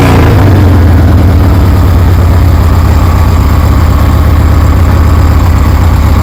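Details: 1973 Harley Sportster V-twin with CV40 carbs installed; deep, loud lumpy idle holding steady without misses or surging, sounds good; low on gas.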